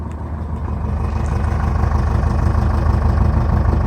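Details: 2006 Jeep Liberty 2.8 CRD 4x4 turbocharged diesel, heard at the rear from the stock exhaust with catalytic converter and muffler: even, low burble at idle with a steady beat, no misses or knocks; healthy normal idle.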